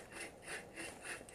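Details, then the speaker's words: Unit hub bearing with 185k miles, removed from a 2007 Dodge 2500 truck and turned by hand, gives a gritty, growly rasp about three times a second; suspected to be the worn bearing noise, before replacement. "You hear that? I think that was the noise. Sounds a little growly."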